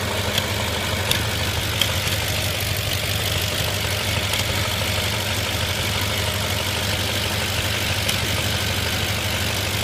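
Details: 2005 Audi A6 4.2 V8 at idle: uneven running with occasional dull thumps every second or so over a hissy intake, apparently from throttle body/manifold; suspected misfire, not confirmed.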